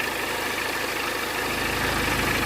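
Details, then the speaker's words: 2008 BMW E60 520d diesel with limp mode and constant radiator fan issues, idling after work: steady, even idle with soft regular beat, earlier ticking noise now gone, oil and coolant levels okay; running cleanly. "so i don't know if you can hear me guys but tiki noise is disappeared"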